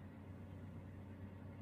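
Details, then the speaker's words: Toyota/Daihatsu that had hesitation and DTC P0172 (system too rich, bank 1), idling with AC on after the airflow sensor was cleaned or replaced and the ECU reset. The idle is now stable and even with a crisp combustion note. Normal idle. "dia idolnya lebih stabil kondisi AC on kemudian dig gas dia lebih ngisi dari suaranya beda ya jadi pembakaran yang baik itu suaranya cenderung garing"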